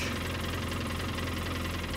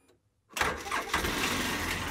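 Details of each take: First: 2013 Polaris Ranger with low power and engine code 651: idles fine, then moving the broken injector wire makes the tone change to a rough, uneven stumbling beat as one cylinder cuts out; misfire from a broken injector electrical connection. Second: 2013 Polaris Ranger two-cylinder, after replacing the broken injector wire harness (engine code 651, low power): short crank, catches at once, settles into steady even idle running on both cylinders; normal start and idle.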